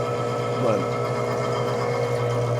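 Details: Manitowoc undercounter ice machine, no-ice call with red wrench fault: steady loud motor drone with low hum and faint rising sweep; condenser fan motor failing, intermittently not spinning, causing high head pressure compressor shutoff.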